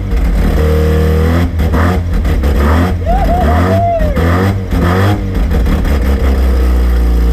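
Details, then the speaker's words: Rotary-engined van on first start after rebuild, starting off the key: deep steady drone swelling cleanly with each throttle blip and settling back; runs and revs freely, though a belt was melting. "she's alive she's alive she's alive she's alive we're winning there to start off the key even you beauty bloody little beauty"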